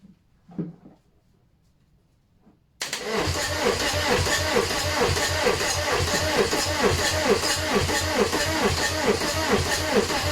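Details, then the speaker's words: VW AHU TDI diesel engine on the garage floor before camper swap, pressurised tank feed: starter cranks steadily but it never catches, no diesel reaching the injector lines through the injection pump: no start. "Right, why are we not getting fuel through?"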